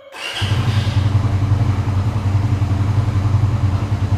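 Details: Suzuki Satria FU motorcycle with a custom Arduino alarm, started after pressing the button to disarm it: the engine catches immediately and settles into a quick, steady low idle pulse with no stumbling. Normal start and idle.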